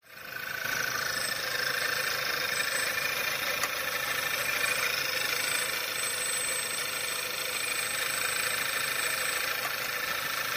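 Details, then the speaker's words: Skoda Octavia 1.8 TSI 150 PS, codes P0299, P0507, P2279, P0171, misfires: loud steady hiss/whistle over uneven shaking idle, before repair. "akustisch hört man dass der Motor nicht richtig läuft erschüttelt und hat ein sehr lautes Zischen oder Pfeifen das nicht umsonst stattfindet"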